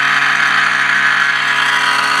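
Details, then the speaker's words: Cifer 2486 Intelligent Terminal unused since 1982, 240 V 50-60 Hz 12 W cooling fan: steady high-pitched whistling screech with fixed tones; worn fan bearing, rest of terminal runs fine. "little fan's making all that bloody noise. Yeah, that's horrible, isn't it? Wasn't for that, it would be running fine."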